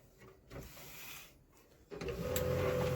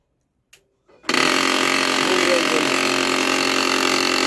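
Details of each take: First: Canon LBP 2900 laser printer after replacing a damaged clutch gear (its spring had jammed) on the side gear panel: quiet start, then a smooth, even gear whir that holds steady with no clicking or grinding; normal printer drive operation. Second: Canon LBP 2900 laser printer with side gear panel opened: about seven seconds of steady motor whine under a harsh, fast gritty rattle around three per second; damaged clutch gear grinding and jamming in the drive, fixed by replacing the clutch gear.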